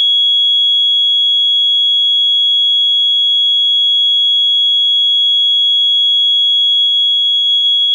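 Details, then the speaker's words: Late-1970s ADE keyswitch burglar alarm control panel set with all zones linked out. A loud, steady, piercing exit-delay buzzer keeps sounding and never times out, so the panel never arms. "you'll hear the buzzer the bus is actually quite loud but then it'll it just won't stop so this is now you counting down time this is time to exit the building"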